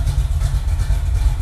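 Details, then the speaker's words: Freshly assembled V8 with a carburetor, about 20 miles and three heat cycles, still breaking in: deep, lumpy burble at idle, steady pulses with no tapping or knocking; running right. "doesn't that sound good yeah it does"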